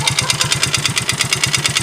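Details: Yamaha Mio GT FI scooter that once ran nearly out of oil, down to a quarter of a small glass: rough idle with a hard metallic knock about nine times a second; engine knock from oil starvation.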